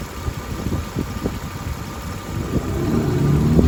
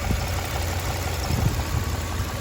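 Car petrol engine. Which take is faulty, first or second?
first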